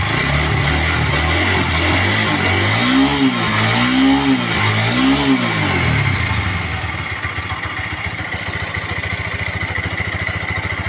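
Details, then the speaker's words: TVS Apache RTR 160 4V after tappet adjustment fixing a rough engine noise: three quick clean revs, then a steady, even idle with no top-end tapping; engine now smooth and healthy. "गया तो आप देख सकते हैं कितना मीठा sound निकल चुका है गाड़ी में"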